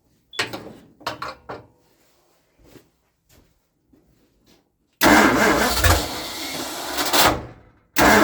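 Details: A 1960 Ford Starliner with a 360 tri-power FE engine gets a few short, sluggish starter turns that fade, then a longer labored crank. The battery is run down. Slow cranking from a weak battery.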